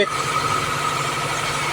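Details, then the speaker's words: Toyota Corolla, sat about a year, running again after engine computer box repair, battery and check-engine lights on: fast, steady idle with thin high whine and no dip; idle speed far too high. "so Ayan mga sir ah Sobrang taas na ng Menor dahil dito Ayan oh sobrang"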